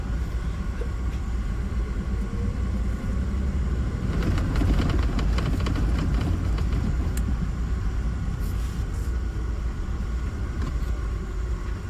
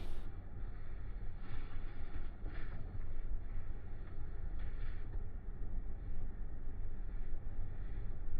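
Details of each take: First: Mahindra Bolero Neo N10, left/conductor-side door, noise unresolved after two dealer visits: light irregular tak-tak tapping through road rumble while driving, a wiring connector knocking against the door's inside body. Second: Mahindra Bolero Neo N10 left/conductor-side door that rattled on rough roads, test drive with the suspected part held in hand; only steady low road rumble in the cabin, no buzzing or rattling from the door panel.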